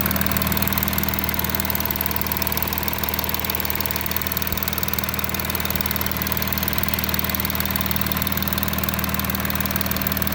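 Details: Audi A6 4G idling after passenger-side exhaust camshaft replacement: smooth, even idle with steady low hum, no ticking or clicking from the cam side; former knocking is gone, engine sounds healthy.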